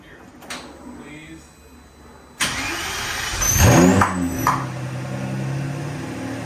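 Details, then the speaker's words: Lamborghini Murcielago V12 (two ECUs, two fuel pumps), after fuel tank refitted in home garage: short crank, catches at once, blips and settles to smooth even idle running on both banks, burning off old residue; normal start and idle. "running on both banks it still burned out some of the crap from before everything's fine"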